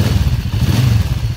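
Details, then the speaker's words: 1994 Kawasaki Vulcan 500 twin, 12,266 miles, second start in three years, fresh oil and filter, carb awaiting rebuild, slight leak on one side: steady low throbbing idle, even firing pulses, no knocks; normal idle. "but i think that uh i think that sounds good it's idling really good"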